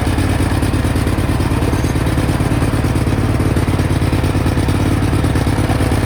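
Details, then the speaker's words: 1991 Cub Cadet 1861 tractor, twin-cylinder engine, running rough with a loud, uneven, loping chug under load while pulling a loaded wagon; smoking a little, blamed on a badly out-of-adjustment, gummed-up carburetor rather than oil burning. "if you see the it's smoking a little bit that's not burning oil it's just the carburetor is way out of whack and all gummed up and stuff but we'll worry about that later down the road"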